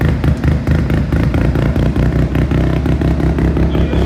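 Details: Mazda single-rotor rotary build during tuning: a loud, choppy low-speed burble with uneven pulses and occasional stumbles. It runs but still runs erratically and needs more tuning.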